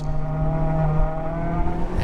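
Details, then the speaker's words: Honda Civic Type R FK8 on track at Pocono Raceway on Federal 595-RS-RR 255/35/18 tires: a sustained squeal over the engine drone through a corner. The heat-soaked tires have gone greasy and are losing grip. "squealing a lot and that means they're a little bit greasy they're little slippery do not gripping quite as well as they used to"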